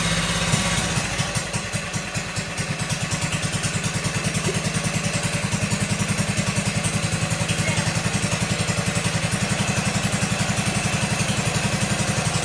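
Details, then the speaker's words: 1957 Wheel Horse RJ35 garden tractor, first run after sitting five-plus years in a barn. It settles into a steady, even low putt-putt of about four beats per second with no misses or knocks; runs well. "that's how it's supposed to work that thing sounds very nice that sounds better than the 58"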